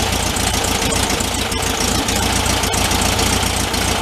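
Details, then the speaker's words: 1974 VW Thing air-cooled flat-four, 29k miles, after idle speed and air-fuel mixture adjustment with the choke off: steady, even, smooth idle with no misses; normal idle. "that's better stroke's off now that s's right"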